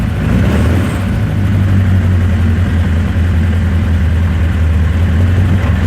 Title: Rough Idle